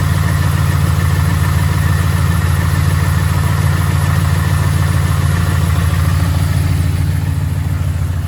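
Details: 2011 Ford F-150 5.0 V8 idling with a steady, deep, regular rod knock beneath the exhaust note.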